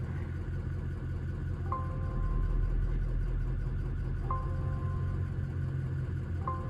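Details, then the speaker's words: 2003 Ford 6.0 Powerstroke turbo diesel, extended cab, head studs, injectors reportedly rebuilt: steady low idle with tool beeps during IDS injector cut-out test; beat changes slightly as each cylinder drops, so injectors are firing, not misfiring; cylinders 5 and 6 suspected weak. "see so we we have a noticeable difference uh when we cut those injectors out so we know that they're working we know that they're firing they're currently not misfiring"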